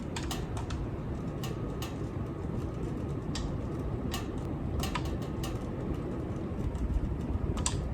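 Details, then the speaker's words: Ceiling fan running: sharp, uneven clicks over a steady low whoosh, caused by blade screws that have come a little loose; fixed by tightening them with a stubby screwdriver. "noise i'm gonna fix it with the screwdriver and the issue is that these screws have come a little bit loose"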